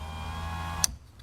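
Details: 1991 Mazda Miata passenger power window, after replacing the motor and regulator and cleaning the switch contacts: a smooth, steady motor hum for under a second, then a firm thunk as the glass reaches its stop. Works normally.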